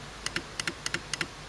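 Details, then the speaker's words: Two-relay DC motor reversing circuit with 12 V relay coils: crisp paired clicks, four pairs in about a second, as relays switch and the head motor steps a little each click; normal operation. "And each time it clicks, the head moves a little bit more."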